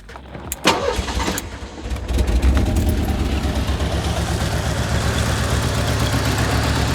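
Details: 1985 Merkur XR4Ti, first run after a broken inertia switch was found that kept the fuel pump from running: it cranks, catches and settles into an uneven, lumpy, wavering idle; rough idle, cause not yet found.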